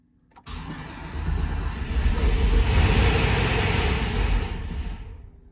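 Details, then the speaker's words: Turbocharged Chevrolet Suburban (GMT800), first start after build: brief crank, catches at once, settles into steady low rumble that swells and eases; oil pressure good, turbo spinning, quiet, clean start. "all right she cranked up a little bit all right she makes allil pressure that's a good sign she's running turbo is spinning she's pretty quiet"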